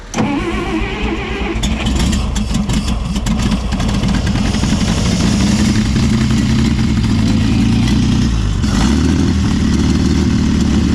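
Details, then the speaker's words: 1960 Bombi tank with Chrysler engine, first start after ATF was left in the cylinders and the distributor was rotated 180°: it catches into a rough, uneven idle with a light rapid clatter, a suspected noisy valve or lifter; cause unconfirmed. "bye wow oh that's a valve a wee bit of knock in here videos"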